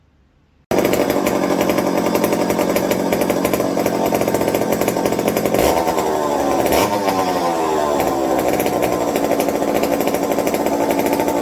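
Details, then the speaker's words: McCulloch 55 gear-drive chainsaw after a homemade scouring-pad tank wick and a swap to an 090 carb: runs hard and steady, then stumbles twice before picking up; intermittent cutting out, on/off switch suspected shorting in the handle. "so on and off switch i still need to attend to it's it's shorting out somewhere in the handle that's exactly what that sounded like to me as i flip it up flip it back down yeah that switch is giving me fits now but it idles"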